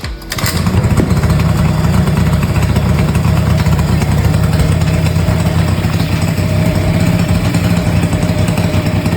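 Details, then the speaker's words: 38-year-old Honda Vision (Elite) two-stroke scooter after full restoration; starts on one kick and holds a steady, deep, even buzz with no stumbling or misses. "and this is how she runs boop boop boop one kick"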